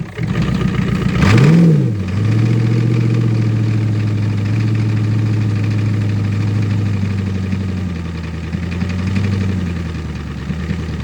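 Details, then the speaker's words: Ford 6.9 IDI diesel in a 25-year-old plow truck, cold winter start: brief crank, catches at once with a quick rev, then a steady, even idle; fired right up, healthy. "here's some proof of life for you oh well it fired right up"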